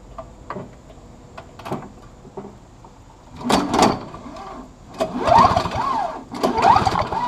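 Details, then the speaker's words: Three recoil pulls spin a free Snapper 17 LE two-stroke snow blower briefly with no firing, key switched off; spark was weak in run position; no spark with ignition switch off, confirming the key switch works. "nothing so that key does work"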